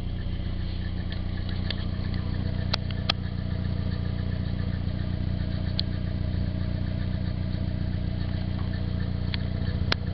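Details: Stock-engine Nissan 240SX with 160,000 miles at idle: a light, irregular metallic rattle with occasional sharp ticks over a low hum; the owner wonders whether it is the timing chain hitting its guide or the water pump, unconfirmed.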